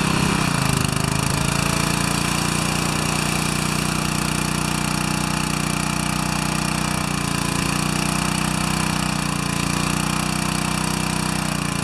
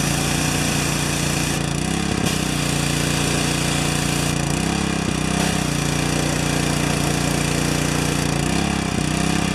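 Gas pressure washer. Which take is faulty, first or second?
second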